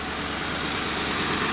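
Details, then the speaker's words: 2009 Ford Crown Victoria Police Interceptor from government auction, idling: smooth steady idle, no vibration or miss, light ticking on top which is normal fuel injector tick; this is how a healthy Crown Vic engine should sound. "Now this is how a Crown Vic engine should basically sound. It should be smooth. It shouldn't be vibrating."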